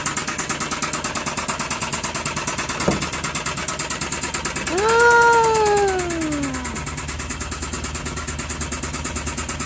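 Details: Suzuki K6A engine running: a steady knock of about three per second, with a cat meowing midway. Piston and cylinder liner damage knock.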